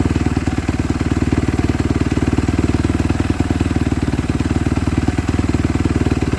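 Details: Kawasaki KX250F (stated as 2014 and 2017) after clutch replacement for fried clutches that stopped it moving in gear: quick, even thumping at steady idle, no knocks, slips or rattles; runs smoothly, fixed.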